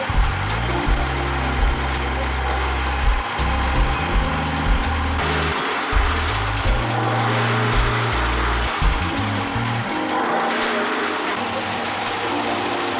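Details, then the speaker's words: Mercury 30 two-stroke outboard after rebuild for knocking, with rebored block, new pistons, crank bearings, seals and water pump: pulls smoothly as throttle rises and falls, no knocking or rattling; ready for break-in, normal running. "Мотор готов к обкатке, откапитален и обслужены остальные узлы."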